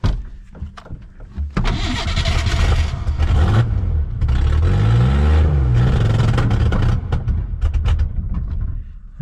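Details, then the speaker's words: Ford Bronco II trail rig with bad starter: starter cranks steadily about four beats a second with weak stumbling fires that never catch, after dumping gas down intake tube; fuel pump heard running; crank no start from fuel starvation. "so it sounds like we have a fuel issue again. Huh. Interesting."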